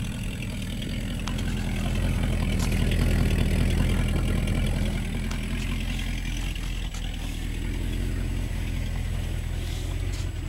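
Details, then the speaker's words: 1972 Plymouth Fury V8 at cold idle in snow: steady puffing tick on the exhaust note, about four per second, from a leaking exhaust. The owner also thinks the motor may have a tick. "i don't know if you can hear it running or not but you probably hear it now since it's got a leaky exhaust"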